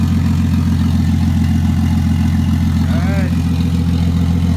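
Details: Toyota 2JZ with 70mm turbo, first start-up (initially run about a minute without oil): steady, even low rumble about 214 beats per minute, no knocks or misses; healthy warm-up idle.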